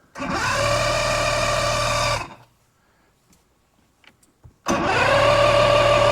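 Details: 1986 Mercury 90hp Tower of Power outboard on an Alumacraft boat, checking water pump output: catches fast and holds a steady, even drone, cuts off, then fires again and settles smoothly; normal start and idle.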